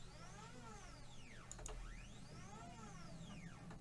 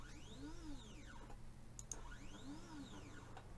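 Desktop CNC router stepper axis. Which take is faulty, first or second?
first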